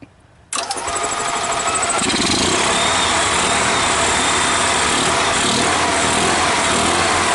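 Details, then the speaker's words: EZGO Workhorse golf cart with a Robin ST350 single-cylinder engine, after a carburetor clean and starter change, fuel fed from an external jug: a cold start on choke that catches at once into a fast, even beat with no misses; normal cold start on choke. "sounds good doesn't it let me see how close it'll get to an idol"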